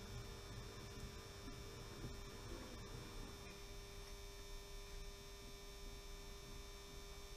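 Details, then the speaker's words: A 16-year-old power controller temporarily wired into a model railway, running a funicular: a constant low electrical hum with a faint higher buzz, a steady mains hum. "the humming noise you can hear is this old controller which I've lashed up which is really annoying I have to say"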